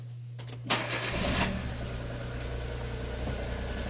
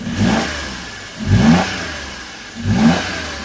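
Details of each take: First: Daewoo Matiz petrol after an oil, filter and spark plug change: short crank, catches at once and settles into a smooth, even idle with no misses. Normal start and idle; a squeak is noted afterward, suspected to be the alternator. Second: Daewoo Matiz just after an oil, filter and plug change, revved three times with the air filter not seated: a loud hollow induction roar on each blip; refitting the filter makes it quieter.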